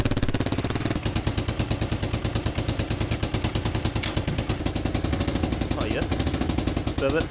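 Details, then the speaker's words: 30-year-old Kawasaki KLF300 4x4 quad at idle: loud, sharp, raspy chuffing on every firing pulse, harsher than a sealed pipe, caused by a hole in the exhaust. Engine otherwise runs well and started straight away. "She's pretty loud because there's a hole in the exhaust there. So, I'll see if I can patch that up."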